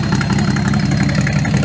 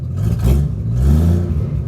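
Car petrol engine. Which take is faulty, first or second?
second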